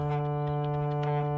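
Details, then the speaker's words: Sony ICF-SW series shortwave radio just powered on at full volume; loud steady buzzing hum drowns the audio; bad SMD electrolytic capacitors in the audio, oscillator and power supply stages. "now you see the radio is turning on but it has a hum it has humming noise this is the volume full so the capacitors are totally bad in the audio stage and also in the oscillator and the power supply stage"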